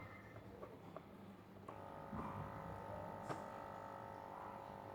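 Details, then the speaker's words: Aquarium air pump after repair, reduced from two pump units to one and reassembled: soft steady buzzing hum with no rattle, quieter than before but with weaker airflow. "เสียงจะเบาขึ้นนะคะโอเคแต่ว่าข้อเสียของมันคือมันจะปั๊มลมได้ไม่แรงคืออากาศที่ออกมาค่ะจะไม่แรงเท่าเดิมนะ"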